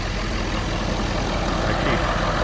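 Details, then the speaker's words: Ford F350 diesel just after replacing a blown intercooler cold-side pipe, started after the repair. Smooth, even idle with a steady rumble and no hiss, whistle or stumble; it sounds better than before the repair. Running normally. "see no reason why she shouldn't be running right hey but you never know right she sure do sound better"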